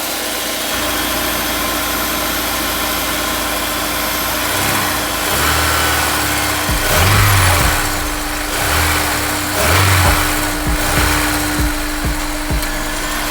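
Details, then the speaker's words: Honda S2000 after replacing the timing chain tensioner that caused a knock-like rattle: steady, even idle with a smooth hum, no chain rattle or slap; the earlier noise is gone, normal idle. "so i don't hear that it's making that noise again from where i'm at i don't hear the sound that was making before so it turns out the problem was the tcp and we replaced it"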